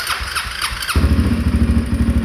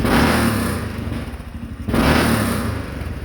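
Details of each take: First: 2013 Honda Rincon 680 ATV after new cam installed and broken in (cam seemed locked): brief crank, then firm even idle with low steady thump; free-flowing exhaust pops occasionally, possibly fuel-related. Normal start and idle. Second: 2013 Honda Rincon 680 ATV after new camshaft install and break-in: two quick throttle blips with occasional sharp pops and crackle on deceleration; free-flowing exhaust suspected, possibly fuel, popping lessening with riding.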